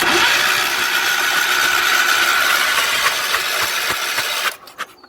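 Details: 1970s Wheel Horse C121 8-speed mini tractor with Kohler engine; condenser found hanging off unbolted. A steady, fast churning crank for about four seconds with no cylinder catching: turns over but won't fire, no spark.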